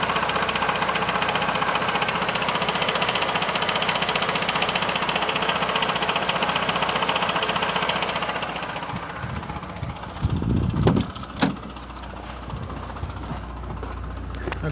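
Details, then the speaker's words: 2013 Chevrolet Classic idling with a busy metallic rattle near the gearbox when the clutch is released, stopping when the clutch pedal is pressed, leaving a quieter hum; cause unconfirmed. "pessoal vou pisar na embreagem aqui ó deixar o celular aqui para você você vai perceber que vai parar o barulho"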